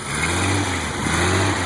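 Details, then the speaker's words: 1986 Jeep CJ7 258 straight six, Weber 32/36 carb, ceramic-coated header, cold: held at a raised steady rev, smooth and even with no misses or knocks; drops back to a very smooth idle, healthy though owner notes a few other issues. "she's healthy it goes right back down to a very smooth idle still got a few issues we're going to work on"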